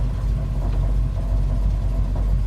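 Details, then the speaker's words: 1970 Dodge Challenger convertible on a pre-purchase test drive, about three miles in: at idle in gear, with shifts between neutral and drive, there is a low, uneven rumble with an irregular rattle. Cause not identified. "one thing I noticed is that when I'm at idle and we'll see you can hear this a nice little rattle"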